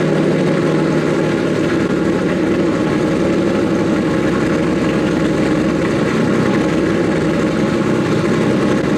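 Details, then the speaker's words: Nissan S15 after the fix. It fires right up with no hesitation and no longer smokes much; some exhaust leaks are audible under the car. Steady, even idle with no stumble: normal idle. "fires right up no hesitation turns on like OEM"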